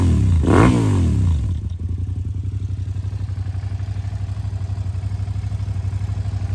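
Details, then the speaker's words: 2007 Suzuki SV650S K6, 12,669 miles, 4-stroke liquid-cooled fuel-injected V-twin with Leo Vince exhaust: cranks, catches and blips, then settles into an even, deep loping idle of about four pulses a second; normal, healthy idle. "Suzuki is a 4-stroke V-twin. It's liquid cooled, fuel injection. Let's fire it up and see what it sounds like with that Leo Vince exhaust."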